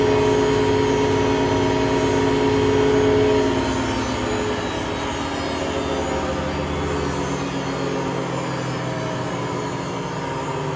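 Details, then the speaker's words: Hotpoint Aquarius WMA32 washing machine test spin: heavy steady droning roar at full spin, easing only slightly; owner suspects broken drum bearings or a broken spider. "s gets into spin it will get quite loud"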